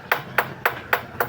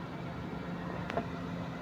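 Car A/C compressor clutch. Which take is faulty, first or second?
first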